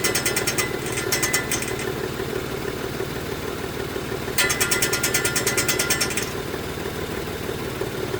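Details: 2018 Mitsubishi Mirage GS engine running with bursts of fast metallic ticking or rattling, about three per second, coming and going over the idle; source not pinned down.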